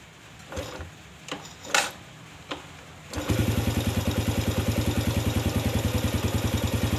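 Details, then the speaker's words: Yamaha Vega ZR after replacing loose oversize-50 piston with oversize-75 piston: a few kicks, then catches and settles into smooth regular idle without the earlier rough knocking that worsened when hot; normal idle. "baiklah sobat semua seperti ini hasilnya suaranya jadi sekarang soalnya sudah umum lah umum suara motor enggak seperti tadi sebelum kita ganti piston nya"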